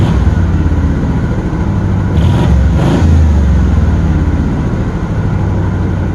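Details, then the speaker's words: 1977 Pontiac Grand LeMans V8; throttle blip fails to bring it off high idle; fast steady V8 rumble, blip rises and falls but settles at same high idle. "i guess not so we listen to this thing for a while"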